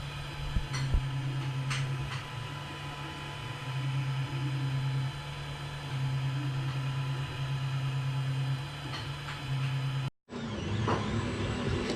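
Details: Creality CR10 3D printer after installing vibration dampers: quiet running with a soft fan hum and low, buzzy stepper tones; much quieter now, normal operation.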